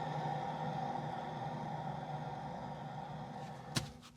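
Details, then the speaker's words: VW T5.1 Transporter with noise that grows with road speed, rear wheel spun by hand with pads removed: low rough even grumble with faint steady hum as it freewheels and slows; worn rear wheel bearing. "that is definitely noisy we've found the bearing we found the noise"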